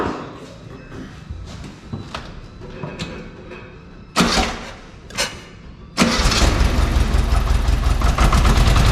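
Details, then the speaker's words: VW Beetle air-cooled engine after oil sump/pump cover work, plug wires on wrong firing order, at least one cylinder not firing, oil possibly in 3-4 side cylinders: starter cranks in bursts, then a loud, lumpy, uneven popping run; misfire from wrong firing order. "that something's definitely not right I mean we had this thing tipped up on the end so the two cylinders that are were down"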